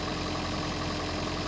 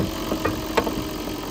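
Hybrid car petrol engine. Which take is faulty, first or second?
second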